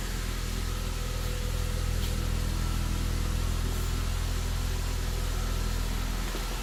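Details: 2008 Saab 9-3 2.8 L V6 just started after alternator replacement, charge light staying off: low, steady hum with an even, smooth pulse and no knocks or squeals; idling cleanly.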